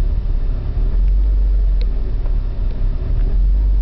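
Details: BMW E36: low, uneven idle that lopes and stumbles with no steady rhythm; rough running caused by a faulty oxygen sensor.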